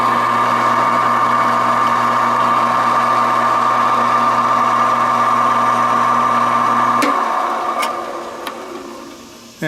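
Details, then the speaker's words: Reliant 10-inch benchtop mini lathe, four belt speeds: smooth steady hum for about seven seconds before switch-off, no knocking or rumble; motor and bearings sound healthy. "as you can hear it's not uh it's in good shape it's not noisy bearings and the motor seem pretty sound"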